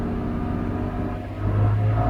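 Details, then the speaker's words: 2002 BMW E46 M3 drift car, about 200,000 km, completely cold, after replacing both throttle position sensors: starts right up, revs slowly and smoothly all the way up with no sputter or hesitation where it stuttered before. "Starts right up, no problem. And close it up. There's no problems at all, and it runs really smooth. There's no hesitation on the gas."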